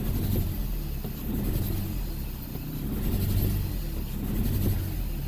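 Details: Toyota Echo with codes P0301 and P0300: low, lumpy engine rumble that surges and sags unevenly when brake-torqued, a single-cylinder misfire traced to the ignition coil, with water getting into the spark plug wells.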